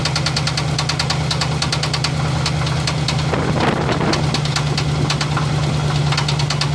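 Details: 1985 Chevrolet Silverado K10 pickup, third engine, a 305 V8, idling with a steady low rumble and a repeating light knock riding over it. The cause is not yet diagnosed.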